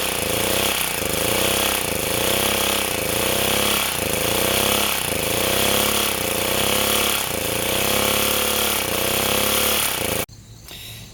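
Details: Sportsman 2000 W four-stroke generator under a 1500 W space heater load before repair: speed rises and sags about once a second, steady hunting from an overreacting governor and lean fuel. The governor is suspected of being too sensitive.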